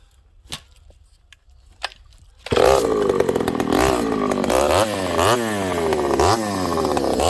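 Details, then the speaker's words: Ported Homelite 922 chainsaw after clutch and fuel line repair and cooler heat-range plug, cutting very hard wood with punky spots: quiet at first, then screams up and pulls down rhythmically under each cut, recovering cleanly; normal, healthy cutting under load. "It's a work saw and we're doing work with it. This stuff's really hard, friends. Like, really hard."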